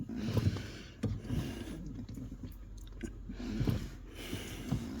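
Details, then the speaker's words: New Bendix Ultimate 4WD brake booster (U4WD-BBLC80), engine off, pedal pressed slowly: isolated sharp clicks over quiet rustling as the pedal hits something and drops slightly further; cause unknown, pedal still hard and goes down too far. "And there it goes. Click again. I'm going to find out what the hell that is."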